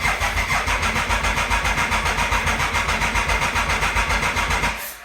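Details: Triumph Thunderbird bought as a non-runner, first start after sprag clutch repair, no coolant, about 45-50°F; steady starter churning about four beats a second for nearly five seconds, never catching. Cranks but won't start, cause suspected, not confirmed.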